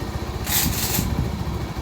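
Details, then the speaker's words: Honda Supremo 150 after replacing worn valve guide and damaged valve, idle being lowered: low soft even idle with brief hiss, no ticking or clatter; idling correctly. "Ayun tahimik na siguro naman matua na mayari nito babaan mo ng Menor toyo pa baba"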